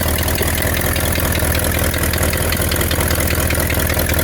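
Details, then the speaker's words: 1960 Ford Thunderbird, possibly an original 41,000 miles (unconfirmed), V8 at idle: lumpy rumble with a faint ticking puff. An exhaust leak is suspected somewhere at the manifold or the dump, uncertain; there was possibly some rich burn and condensation at startup. "somewhere between that manifold could be at the uh at the dump hard to say but those are pretty easy to get to"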